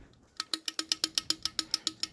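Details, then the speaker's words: Honda 2.4 oil pump and balance shaft assembly removed from a Honda Element with 200,000 on it, rocked by hand: sharp light metallic clicks about six a second, suspected source of the high-mileage ticking instead of the chain tensioners. "I rock the oil pump back and forth is that noise that we all hear especially in the higher mileage stuff so I'm not saying it couldn't be the tensioners quite possibly could be but what I found is the balance shafts underneath the motor"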